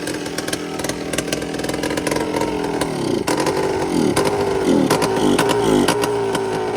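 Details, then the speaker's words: Yamaha Blaster two-stroke ATV, flywheel cover off, throttle not hooked up: revs rise and sag unevenly with no steady note; it was on choke and fuel-starved, filter dry because the tap was on "on" instead of reserve. "It was on choke. Because that filter's dry because it's on instead of reserve."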